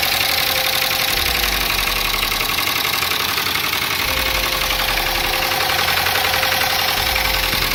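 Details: Dodge Durango 5.7 Hemi V8 at idle with check engine light on and raw fuel reportedly dumping into the catalytic converter: a loud, fast, sharp metallic tick; typical cam and lifter failure suspected, bottom end not yet isolated.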